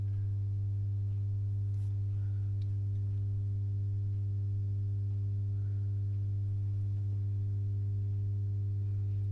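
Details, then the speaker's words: Masco M25N tube amp with a poor earlier re-cap, run on a current limiter with a 200 W bulb (bulbs only dim): steady deep mains hum with buzzy overtones that never wavers, from weak filter capacitors. "and you can hear that's and I'm not going to take it off the current limited because of that that's not a good look is it or should I say not a good sound"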